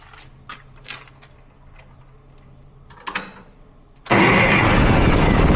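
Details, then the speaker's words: Ferguson tractor with a new starter, after removing a shipping piece that stopped the pinion reaching the flywheel: quiet clicks, then it catches at once into a steady, even run. It fired right up and timing seems fine; the carburetor still needs work. "Well, that's a lot better. Woo! Jeez. Okay, up next will be the carburetor. Um, it didn't sound like our timing was too off either. It fired right up."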